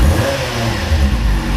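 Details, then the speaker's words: Kawasaki Z750 four-cylinder after replacing exhaust header rings and welding header inlets, which fixed a rod-knock-like noise: short clean rev with deep smooth exhaust, no knocking or ticking; normal revving. "a beleza mora já não faz aquela barulheira e batendo dá aquela impressão de estar tá batendo pe ela"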